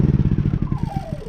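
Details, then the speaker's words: Honda EU3000is inverter generator, pull-started, that runs only on choke: with the choke pushed in it pulses quickly and evenly, then the beats weaken and the pitch sinks as it dies; too much air is blamed, and a dirty carburetor is suspected. "And it should stay running, but obviously it's not running. So we're gonna fix that in today's video."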